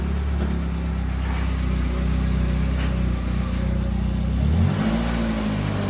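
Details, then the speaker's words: Toyota Tercel 3A-C engine after reinstall with the carburetor swapped, pulling out for first test drive: smooth, even running with a steady low hum and no knocks or ticks; sounds healthy. "Oh yeah, she sounds really good now."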